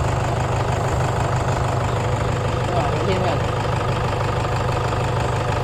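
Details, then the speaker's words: Toyota Hiace idling with a heavy, uneven low drone pulsing about three times a second and a shaking body, recorded from underneath; engine supports found very soft, two to be replaced. "Malambot na yung engine support niya. Kaya kailangan natin palitan ng bago."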